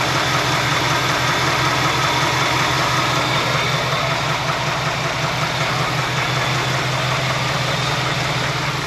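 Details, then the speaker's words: 1966 Ford F100 with a '71 302 V8 at idle, after replacing the worn harmonic balancer: still a quick light clacking from the lower end, worse at low rpm; owner suspects flex plate or its bolts, not a bearing. "I know it was clapped out because you see the rubber. Nope, still making the clacky noise."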